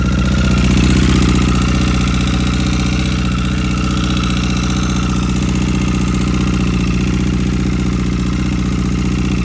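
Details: 2009 Honda CBR1000RR at idle, just started after replacing rod and journal bearings: thin whine and steady tick about three a second above the exhaust pulse, with a lot of backfiring at idle.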